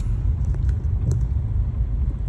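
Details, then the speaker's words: 2010 Ford F150 Platinum on a test drive after replacing sway bar bushings and links, turning at a stop sign: only low, even road rumble, no bed-spring squeak or creak from front end; normal suspension. "See if it makes any noise. Here's the test. Ah, no noise. Nice."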